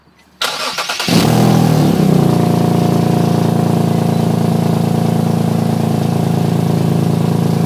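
Cranks, catches and settles into idle with a quick, even puffing tick riding on the exhaust note, typical of a leaking exhaust joint.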